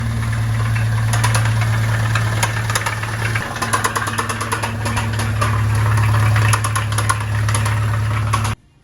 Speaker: pudieron observar tenemos un ruido muy claro en este motor es un golpeteo este Aparentemente Pues es de biela el ruido tiene todas las características de ser producto de de que haya juego ahí en nuestros metales